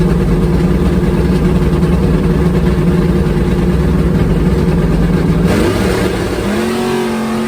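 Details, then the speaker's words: Drag car at full throttle with an LBG carburetor: past half track into high gear it laid down and came back, surging as if out of fuel, 6.53 at 99 mph; owner suspects fuel supply or pump, unconfirmed. "i don't know what's wrong with that other one it acted like it was running out of fuel it surged you'll probably hear it in the video"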